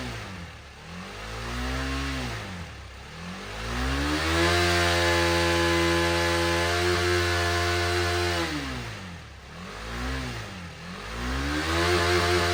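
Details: 2018 KTM Duke 250 left dead for one year, after fully charging the flat battery to 100% with a smart charger. Clean, even engine note climbing and falling smoothly with each throttle blip, no knocks or misses: normal running and revving.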